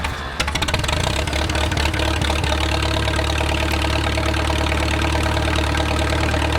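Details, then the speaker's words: Wartime H tractor's first start after 20+ years of sitting: it fires and settles into a lumpy, uneven idle with loud popping exhaust while spitting out a lot of junk. "oh hey that wasn't bad ah yeah she's puking a bunch of junk out of there"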